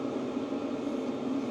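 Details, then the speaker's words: Hcalory Toolbox 2 (2025) diesel heater running wide open, drawing about 29–40 watts, inside about 396°, around 260 centre, 65° outside; steady even fan roar pounding out, no fuel-pump ticking; normal full-power running. "we are currently pulling about anywhere from 29 to 40 watts and this thing is wide open I mean you can hear it no ticking but you can hear it I mean it's really pounding out"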